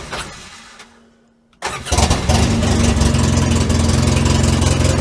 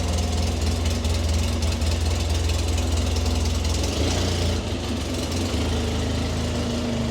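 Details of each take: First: Polaris Ranger 6x6 UTV bought at auction, jump-started after it wouldn't start: after a short crank it catches and settles into a loud, uneven, raspy chug and sounds terrible; a possible exhaust blow and a fuelling problem are suspected. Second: Polaris Ranger 6x6 UTV after wheel bearing and boot work, test drive: steady low idle with loud, slightly uneven mechanical clatter, sounds better than before but still noisy even in the cab; normal running for this machine.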